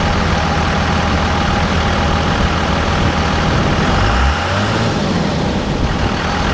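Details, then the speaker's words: 2001 Cummins 24v diesel with HY35 turbo, after installing Banks cold air intake replacing stock intake: deep steady rumble with faint thin turbo whistle as throttle opens, clearly more audible than stock; healthy spool. "so for me that is a very clear noticeable difference from the stock intake to the banks coder intake with the turbo whistle"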